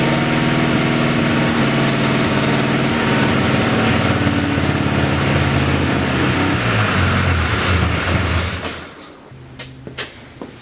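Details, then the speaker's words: 1979 John Deere Cyclone 340 two-stroke snowmobile, revived after sitting, on choke: ragged idle that surges and stumbles, then dies after about eight seconds. Fuel pump works but little fuel drawn; owner suspects fuel starvation or a gunked carburettor idle circuit. "I was running it with the choke on there at the end so either it's not pulling enough fuel or the idle circuit and the carb is all gunke"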